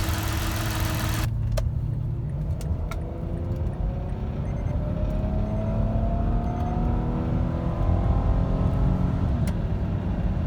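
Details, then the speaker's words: 2008 Mazda CX9 3.7L after water pump, timing chain components, belts, thermostat and valve cover gaskets were replaced: even, low steady idle hum, no knocks or ticks, faint handling clicks; sounds like a smooth-running sewing machine. "and the engine itself sounds like you know a smooth running sewing machine"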